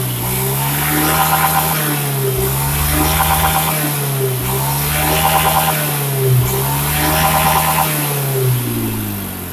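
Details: Honda Beat fuel-injected scooter after replacing a broken spark plug and leaking plug cap (not the fuel pump) that caused stuttering: clean repeated blips rising and falling smoothly, no stumble or popping; normal running.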